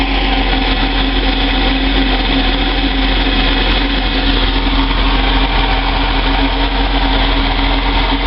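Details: Moomba boat's inboard petrol engine after its exhaust leak was repaired: steady idle with an even hum and no more ticking or exhaust leak noise inside the boat.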